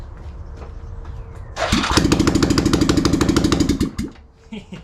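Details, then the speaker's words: Yamaha Rhino 660 UTV with muffler and head pipe removed: cranks, then catches into a loud, sharp, rapid bark of single pops, about three a second. Open exhaust, obnoxiously loud. "reminds me of my old z50 when i had no off i wrote it around like that i just put a little piece of three-quarter inch pipe threaded into the head obnoxious"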